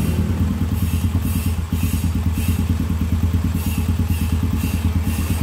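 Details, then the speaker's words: Honda Supra X/Grand after repair of the common klotok-klotok engine knock: smooth even idle about three beats a second, no knocking or clatter, normal idle. "Bisa diperhatikan suaranya ini sangat halus sekali"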